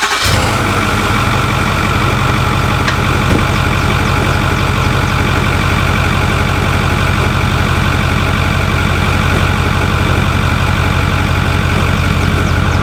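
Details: Truck idling after pulley replacement with the tensioner released and refitted: constant low drone with a persistent tone from the front accessories, unfixed. AC compressor and belts to be checked next: belt-area noise.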